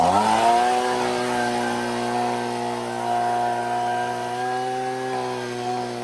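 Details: Husqvarna 125B leaf blower after repair and high-speed carburettor adjustment, no air filter yet, blowing leaves. A quick rev settles into a smooth, steady high-pitched drone that holds evenly; runs clean and healthy.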